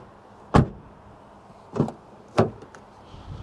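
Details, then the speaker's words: Rear door of the all-electric Ford Capri Extended Range AWD (top trim) closing: a few firm, dull thuds with no rattle or tinny ring afterward; normal, very nice and solid door closing. "Very nice and solid."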